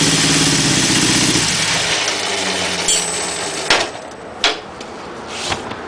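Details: 1976 Honda CB750A automatic four-cylinder, which had been running a little rough, after changing the ignition points: fires and revs cleanly, then quick even beats with no misfire or rattle; normal running.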